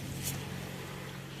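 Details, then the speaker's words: 2013 Dodge Avenger after oil pan replacement, cold start: brief, quiet, smooth low hum at fast cold idle around 1200 rpm with no knocks or misses and only slight condensation smoke; normal cold idle. "Let's fire it up and do a cold start. Starts up fine."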